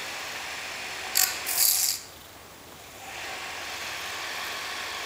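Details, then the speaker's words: Commercial washing machine pump (88.2 ohms), run from a variac at about 100–120 V: a few rattles, then a steady, loud, even high-pitched whir with no knocking or grinding. Pump motor runs fine but has no suction and needs gravity feed. "all right Crank It Up that's a nice loud coming motor"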